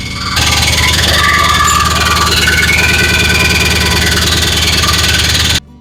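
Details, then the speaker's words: 1970 Chevy C10 with a 5.7 Vortec 350 from a 1998 van and a 700R4, running well after startup with a slight exhaust leak: steady high whine over the engine; owner suspects the starter is not disengaging. "sounds like the starter is not disengaging perhaps. Um, definitely what it is."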